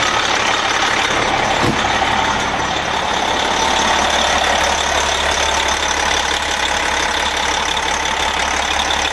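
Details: MCI coach with a Detroit Diesel S60 DDEC6 (425hp at 2100rpm) idles steadily and evenly on all 6 cylinders after an external engine wiring harness repair. It was previously running on 3 cylinders.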